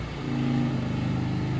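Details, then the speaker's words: New electric cooling fan on a 1935 Chevy Master Deluxe restoration, radiator-mounted and run from a car battery: steady, fairly quiet whir with even low hum, no rubbing or rattle, none of the constant droning; fan runs normally. "It's also really not that loud, which I'm happy about. I know some cars that have electric fans, you just hear the droning all the time"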